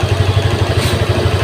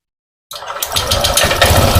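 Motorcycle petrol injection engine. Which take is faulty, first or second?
second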